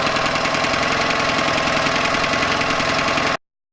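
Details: Yamaha 9.9hp outboard idling after replacing a cracked, dried-out carburetor diaphragm that caused heavy gas leaking; steady even idle at constant level, no misses or stumbles until shut off; idles healthy.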